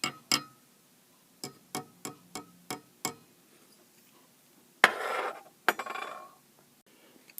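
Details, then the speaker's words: Pratt & Read keyboard in a vintage CAT synthesizer (as used on Moog/ARP): sharp, hard clacks as each key bottoms out on the key stops because the old rubber bushings have dried and gone brittle; replacing them restores a muted feel. "you can hear how noisy these bushings are like here's the the body that would be bouncing on it that when you press the key down and instead of having a nice muted sound it's it's hard it's hitting a hard surface since the the bushings are real brittle"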